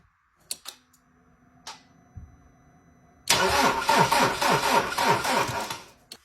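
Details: Ford Transit diesel, 326,000 km, hard morning starts from a glow plug fault, test start after fitting new glow plugs and a 40 A fuse. A few relay clicks, a short even crank, then it catches straight away and runs steadily; fuse holds.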